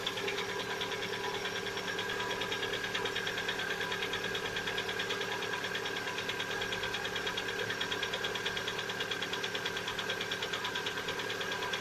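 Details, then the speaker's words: Lada Vesta, 70,000 km, cold start: steady light knocking a couple of times a second at idle that quiets after one to two minutes; owner calls it piston knock, not hydraulic lifters, appearing recently after a same-oil change; cause unconfirmed. "запуск как стучат пор стена холодного не путают с гидрокомпенсаторами"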